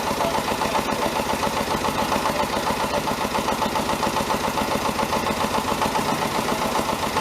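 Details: David Brown 1490 tractor diesel on its first run after an engine rebuild, idling. A regular knock of about two or three per second rides over the clatter; the owner suspects a fuel injection knock and is having the injectors reconditioned. Cause not confirmed.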